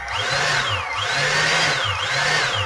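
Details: EGO 56V blower BLDC motor on an aftermarket BLDC driver, bench test with pot speed control to full speed: high whine rising and dipping about once a second over a low hum; motor spins up fine.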